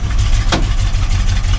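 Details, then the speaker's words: Carbureted 1968 Chevy C10 short bed on choke, sat 8 months, started at about 80°F. Low, uneven idle near stalling with a sharp pop; owners suspect a valve "fart", old fuel, or running out of fuel. "Yeah, it sounds like it's doing like a valve fart. Well, it almost sounds like it's really out of fuel."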